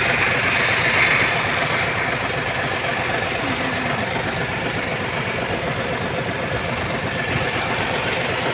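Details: Hino 700 with E13C diesel, low power and hard starting: idle with an uneven, lumpy beat about four times a second, rough idle from malfunctioning injector #5.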